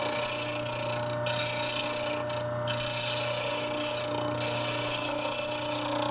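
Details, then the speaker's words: RIKON 80-805 half-horsepower slow-speed grinder, dresser resting on tool rest: steady high motor hum with hiss dropping out in short gaps, ticking showing the wheel isn't true; out-of-true grinding wheel being dressed. "my dresser is supported completely by the tool rest and you hear the ticking that is telling me I've got to face the stone that is not perfectly true"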